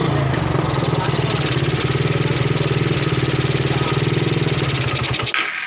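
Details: Suzuki Satria FU single-cylinder motorcycle after the torn vacuum line was repaired with glue and ports plugged; it previously had hard starting, sputtering, backfiring and no power. Steady, even thumping at about four pulses a second, no popping or stumbling. Normal running.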